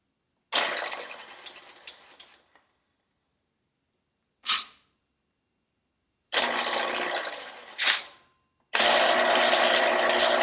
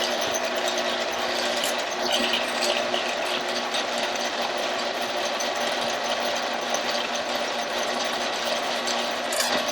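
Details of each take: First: Motorcycle cylinder being bored on a 1948 Kwik Way boring bar, another pass after adding three thousandths depth of cut: a few short cutting bursts, then a steady unbroken hiss as the tool cuts all the way around the bore. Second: 1948 Kwik Way boring bar boring a motorcycle cylinder: steady machine hum with a faint, light scraping hiss. The cutter is just barely touching the wall about an inch down, suggesting the cylinder is slightly out of round.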